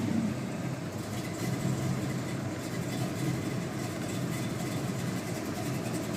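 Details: 1972 Chevelle SS, 502ci RamJet fuel-injected V8 of over 500hp, 400 Turbo automatic, Flowmaster exhausts: a smooth, even idle burble with a steady low rumble and no knocks or misses. The engine sounds healthy.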